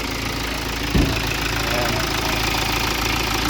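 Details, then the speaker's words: BMW diesel restarted after retiming, since the timing had jumped teeth at the rear, first suspected as a failed high-pressure pump. A brief thump at start, then an even, clatter-free idle that is quieter than before the repair. "Nabawasan pa yung ingay niya dati. Dati maingay dito eh."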